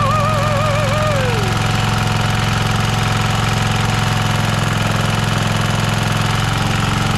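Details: Rover Ranger ride-on mower single-cylinder engine in neutral, first run after points set to 20 thou, coil gap adjusted, flywheel cleaned and carb lubricated: steady, even thumping with no misses or knocks; normal running.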